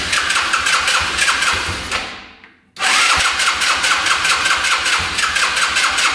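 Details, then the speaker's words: Yerf-Dog Scout 4x2 UTV, sat outside for years: fast starter cranking that stops and resumes without catching; no fuel reaching the engine because the pickup tube is broken off inside the tank. "all right it looks like the tube that goes down from here is stuck down in the tank and it's broken off so that's why it's not grabbing any fuel"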